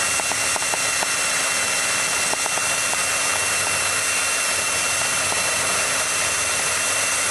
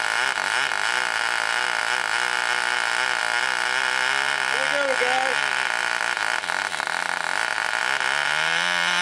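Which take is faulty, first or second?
first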